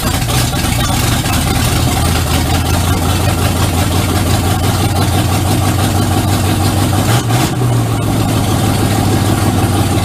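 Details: 1951 Ford F1 with rebuilt engine on EFI and MSD 6AL digital ignition, first start in the truck: steady, even low rumble with no misses, knocks or ticks over ten seconds; normal idle.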